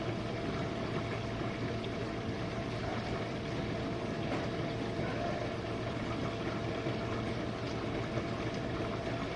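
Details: Used Jenn-Air dishwasher running a quick wash, started to clear a smell: a steady, even hum with swishing water at a constant level and no grinding or rattles, sounding good and seeming to use little power.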